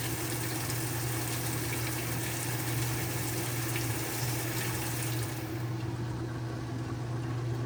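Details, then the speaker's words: Whirlpool washer that would not spin or wash and was humming, agitator dogs being replaced, body off, checked on spin: even low motor hum with water rushing through the drain pump, no grinding or binding; spins and drains properly. "we don't have anything that's binding so the washer should Spin and whatever water's in there you'll hear it draining"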